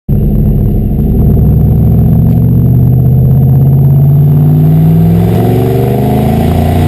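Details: 1996 Cobra V8 running and revving up steadily, with a rough, puffing edge from an exhaust leak.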